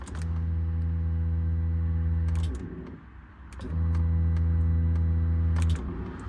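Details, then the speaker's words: Turbo LS2 Camaro with two fuel pumps, fuel pressure dropping when floored on wastegate: secondary fuel pump gives a steady low electric hum, stopping and restarting, rougher than the first pump; failed second pump. "so this is fuel pump number one I know you guys can clearly hear that but this is fuel pump number two"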